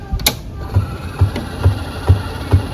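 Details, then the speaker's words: V8000 tray loading mechanism, gear turned by hand, handheld close to gears: dull low thunk about every half second, once per turn, from a broken half tooth on a gear, the "chunky" sound heard during tray loading; possibly broke during testing. "Oh, there's a broken tooth. A broken half tooth that's supposed to be right there. That's the chunk that I hear."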